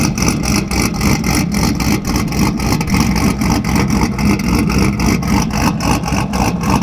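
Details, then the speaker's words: Cammed 5.3 Silverado, cold start after sitting a while: a loud, choppy, loping idle at about three and a half pulses per second. This is a healthy big-cam idle since an earlier lean issue was fixed with a new fuel pump and O2 sensors. "Alright boys, let's get this one started off right with a cold start. It's been a little bit. Oh yeah. Nasty."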